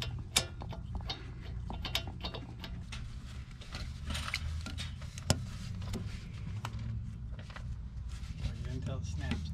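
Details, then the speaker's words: 2012 Chevrolet Malibu wheel bearing turned by hand: gritty, notchy ratcheting rumble instead of a smooth spin; worn-out wheel bearing, replaced. "here that yeah bad bearing how long do you think this was on there"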